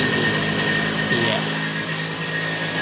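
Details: Vespa two-stroke during carburettor setting: buzzy steady speed with a slight dip and recovery in pitch as the mixture and air screws are turned, seeking the highest engine speed. Speed changing during carburettor adjustment.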